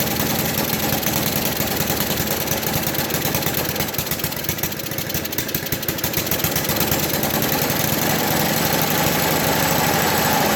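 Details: 1980 MTD SnowFlite 5-20 snowblower on a new carburetor, main mixture screw opened one turn from fully closed: small single-cylinder engine puttering at a quick, fairly even beat and picking up slightly; running cleanly now on fuel.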